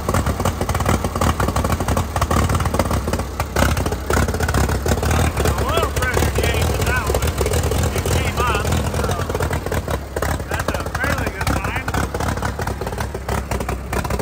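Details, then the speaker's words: 1952 Case DC3 tractor, parked 15 years with a tree grown through it: rough, uneven running with dropped beats as it idles and picks up, missing. Owner wonders if the choke is partly on; it soon runs better. "we're missing some here but we going to let it ride for a minute and uh see what happens I of wonder if the choke is partially on or something by the sound thing"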